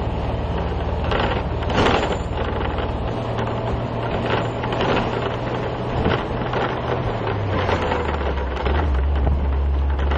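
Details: City bus driving on broken, rough roads: constant loose clattering and rattling with bangs over bumps under a low engine drone, suspected body rattle; cause unconfirmed.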